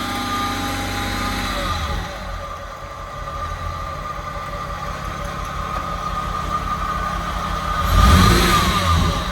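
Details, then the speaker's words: VW Mk1 Cabriolet with VR6 swap, after new battery and starter fixes: even idle climbing into a clean rev and settling, smooth firing with no knock or miss; engine runs strong. "but the engine runs pretty strong so that's where we're at right now"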